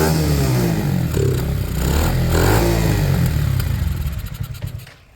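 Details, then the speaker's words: Sinnis Harrier motorcycle after a Hanway carb conversion, choke off and spilling fuel: catches and runs fast and rough for a few seconds, then fades and stalls; owner suspects the idle is set too high, making it hard to start. "Maybe I've gone too nuts on the idle. Bikes don't like to start when you've gone too nuts."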